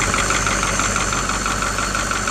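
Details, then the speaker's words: 1984 Ford with Caterpillar 3208 diesel, first start after sitting about three years: steady, even idle with light regular injector clatter, no knocks or misses, purring like a kitten; engine sounds healthy. "we're going to box up our batteries here but that's I mean that damn thing's bur like a kitten listen to"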